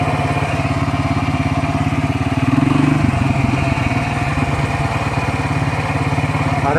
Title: Посторонний шум/шуршание из Вариатора.